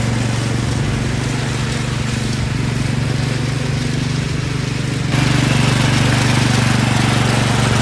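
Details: Massey Ferguson 7 lawn mower, long-sitting, running and driving; owner thinks it needs piston rings: steady single-cylinder drone, even low beat under load, louder partway through; normal running.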